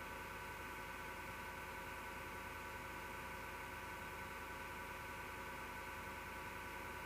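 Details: MSGW Plutos desktop PC power supply fan: steady, unbroken whirring rasp with a gritty edge and vibration, no speed change; owner suspects a bad fan bearing; noise recurred after two months and disappears after the PC is off overnight.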